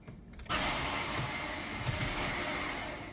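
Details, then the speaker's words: Ford Ka (new Ka) turning the key: only a steady high electric whir, no cranking or engine catch, from a faulty starter motor. "Aí, gente, quando der partida no carro e fizer esse barulho, ó, motor de arranque."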